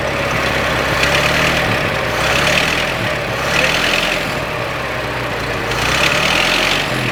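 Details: 1926 Ford Model T after tightening the muffler underneath: even idle with soft, regular chuff and gentle rise and fall, no knocks or rattles; doesn't sound bad at all, healthy normal idle.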